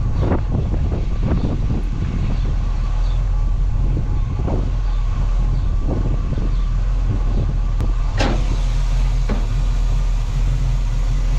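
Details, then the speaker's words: 1967 Chevy Camaro RS storage-unit find, small block 350 V8 with Turbo 400, revived after storage: deep, steady rumble with an even beat, no knocks or misses; normal running (cooling fan found not spinning, fuse suspected). "Look It Go [Music] [Applause] this sounds good"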